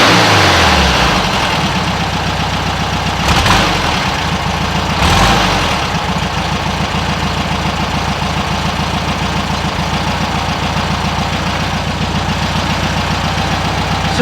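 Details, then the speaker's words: 1967 VW Westfalia Bus, engine warm after running a few minutes, with 009 distributor: steady idle, then quick hand-blipped throttle stumbles and flutters before revs climb; gradual throttle runs fairly smoothly; suspected 009 flat/dead spot, later replaced with vacuum advance distributor. "if you taper it it seems to be all right you got to tape for this thing really a lot to run fairly smoothly but just a quick step on it yeah it seems to flutter"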